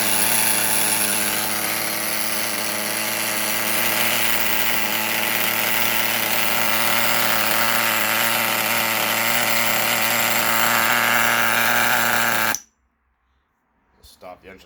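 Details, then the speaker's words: Rustler nitro RC engine, after hard starting after fueling and inconsistent idle were traced to a bad fuel tank: high, steady buzzing drone holds an even pitch about twelve seconds, then cuts off cleanly; running well. "okay so as you can hear it runs pretty nice"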